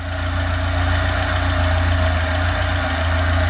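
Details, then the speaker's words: Lada 2104 carburettor engine fed fuel directly by funnel because the fuel pump is bad: a steady, even idle hum with no stumbles, running well. "okay she's running really good I can't believe it"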